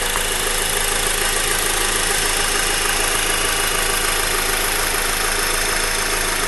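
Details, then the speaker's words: Honda Accord direct-injection engine with timing chain, recorded with the hood open near the engine block at idle: fast, even light ticking about three clicks a second over the hum, normal injector tick, not a fault. "I'm not sure this is the normal sounding that's supposed to come from the engine, but it's just like clicky noise. It's coming from the engine block, it sounds like."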